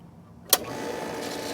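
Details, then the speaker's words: Pool pump that only hummed and would not run, after replacing the failed run capacitor (30 µF, 370 VAC): click, then motor spins up into an even whirring run with steady mid hum; pump starts and runs normally. "there you go what do you know"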